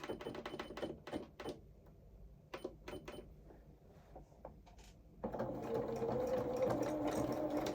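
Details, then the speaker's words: Home sewing machine zigzag-stitching a coverall hem at about four stitches per second, with a loose, tinny rattle on each stroke from the bobbin rattling in its case; it only causes trouble when the machine stops. "Oh, you can hear that bobbin rattling. only got a problem when it stops."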